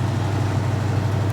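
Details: 1969 Pontiac Firebird convertible, project car awaiting restoration: steady, even low burble at idle with a regular lope and no misses or knocks; a healthy V8 idle.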